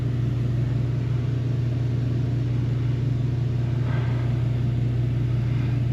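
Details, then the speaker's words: One-year-old Mr Heater Big Maxx heater with a replacement blower motor/fan running with a steady low hum and regular throb about three times a second; excessive vibration shaking the unit and its wiring, owner suspects bent fan blades. "much yeah that's vibrating like crazy look at this electric line it's like all over the place and that's vibrating what it's attached to this thing's going to shake itself apart"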